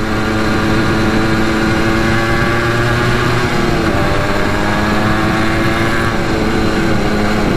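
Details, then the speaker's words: Honda ATC 250R two-stroke three-wheeler, cold weather, flat-out top speed run reaching 64: steady high wail, then the note sags and wavers near the end, cutting out at top speed; already running weird, cause unknown. "as you guys could hear it was kind of like cutting out at top speed"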